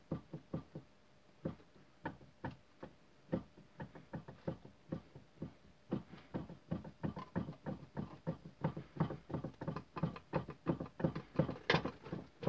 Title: Стук рулевой рейки тойота королла